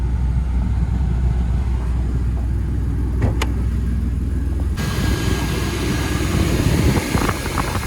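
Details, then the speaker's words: Copart-bought wrecked Chevrolet Blazer, started after fitting a battery: fires right up, great oil pressure, smooth even low rumble at steady idle with no knocks or misses. Normal idle. "We've put a battery in this now and I'll go ahead and fire it up for you. Fires right up. Great oil pressure. Runs very healthy."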